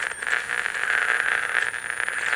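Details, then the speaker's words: Philco NT600 BKG transistor AM radio from estate sale: steady high squeal over a fast fluttering putter from the speaker; squealing and motorboating, blamed on capacitors needing replacement. "That squealing and motorboating, it's always oh my neck. It's always going to be capacitors."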